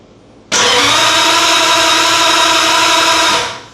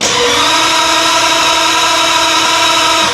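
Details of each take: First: 1950 Ford flathead V8 with DIY EFI, ECU and coil power rewired: three seconds of steady starter whir with no firing; still no RPM/crank position signal to the ECU, crank no start. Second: 1950 Ford flathead V8 with DIY junkyard EFI, cranked via start button: steady, even, brisk starter whir with no grinding or hesitation; cranks good and fast, normal cranking speed.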